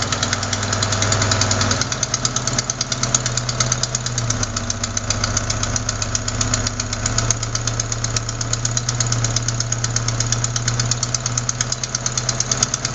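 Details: Sharp, steady tick on an even idle keeping time with the engine; not lifters or rocker adjusters but a leaking exhaust manifold gasket at cylinder 4, which replacing the gasket should fix.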